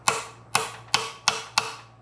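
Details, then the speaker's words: 1973 Mercedes 450SL R107 M117 cylinder head being disassembled after about 26 years sitting, hammer-tapping valve spring compressor: five sharp, dead taps about half a second apart, solid clunk with no give. Valve keepers stuck in retainers. "So this sound here that's a solid clunk. That's that's basically stuck."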